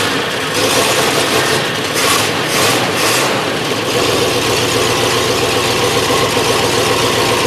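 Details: 1963 Oldsmobile catching on its first start after reassembly, carburetor just primed, cold and untimed: it settles into a rough, lumpy run with a stumbling miss.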